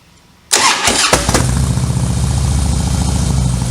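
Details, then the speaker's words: Harley-Davidson Softail V-twin with slip-ons and high-flow air cleaner, after installing and adjusting a Daytona Twin Tec Twin Tuner: starter whirs, engine catches into steady lumpy potato idle, no misses, no check engine codes; normal start and idle. "of course we started the bike, we verified there's no check engine codes, we went through the throttle and went out on a quick test ride, and the thing runs great."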